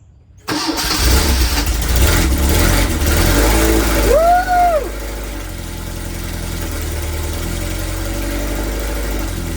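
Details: 1981 Fiat X1/9 converted from EFI to dual Webers, after fixing wiring found connected backwards: fires on the first try, revs briefly, then settles to a smooth, even idle. Running properly.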